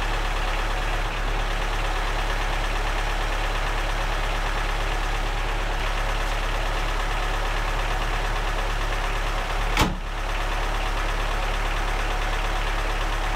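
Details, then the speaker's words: Lada Niva, long unused, just started after battery charging: loud, uneven tractor-like idle with ragged, lumpy beat and no steady rhythm; running rough, likely misfiring, cause not confirmed. "हा हा हा... लाडा !! Tractor लगता है !! महान!"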